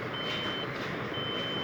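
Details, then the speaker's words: HP desktop 7800 with red light and no display, long high beeps repeating 5 times over fan hiss at power-on, indicating RAM fault; fix by cleaning or replacing RAM and slots. "Hp Desktop 7800 Red Light Beeping 5 times Same Problem in all HP 7800 7900 7100 7600 5800 Pc"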